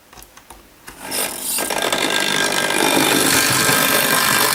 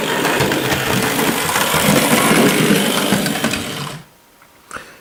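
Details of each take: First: Hornby Dublo LNER N2 tank locomotive running with a loud, rough, rasping buzz that is far noisier than the other engines. The cause is unclear, and the loco is going on the bench to quiet it. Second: Hornby Dublo LNER N2 tank model locomotive: light even whirring with soft fast wheel clatter, no grinding or rattle; normal quiet running, unlike another noisy loco.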